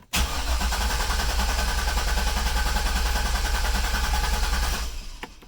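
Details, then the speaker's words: 2004 Corvette C5 Z06 Commemorative Edition after 16 months in storage, ambient temperature, over 12 V: steady even cranking about three and a half beats per second for five seconds without firing; oil pressure rises to about 20 psi. "see when I let it off it does go up to oil pressure of about 20 psi so I like that that's good"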